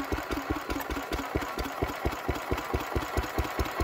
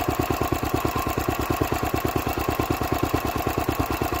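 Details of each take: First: Petter W1H single-cylinder petrol engine, run last week, started to belt-start an old Lister D; slow, even thump around two beats a second with a steady idle rhythm; normal running. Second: Old Lister D stationary engine, first run in 40 years after belt starting from a Petter W1H; fast, steady chuffing beat with slightly uneven pulses and clatter; rough running.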